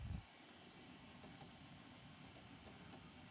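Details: Creality CR-10S 3D printer with Big Boy Blue mod (Prusa-style direct-drive extruder, original Creality steppers moved to new parts) printing: soft, even stepper hum with light rhythmic motion noises, no grinding or skipping; running smoothly.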